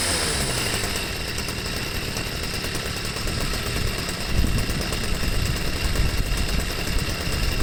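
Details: Stihl sweeper MM55 two-stroke with replacement Hipa C1Q-S97 carburetor, idle screw reset, no mixture adjustment needed: steady putter with brief rise in speed settling cleanly back to idle; normal idle and throttle response.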